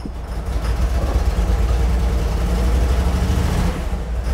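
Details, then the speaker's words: Trans Am, first start: low, lumpy note idling about 500 rpm that stumbles unevenly with a little throttle, check engine light flashing, good oil pressure; rough running, cause not confirmed. "all right so we got check engine light flashing of course this thing is running so bad but if that oil pressure gauge works we have really good oil pressure and it's idling at about 500 rpm right now"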